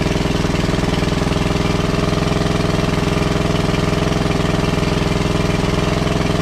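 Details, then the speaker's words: WWII Chore Horse 300-watt battery charging set, model CH1 395-5, original 1940-41 paint, after slight throttle-screw adjustment: steady, even single-cylinder thump at a fast idle, no misses or knocks; running smoothly, works great. "Right on, it works great."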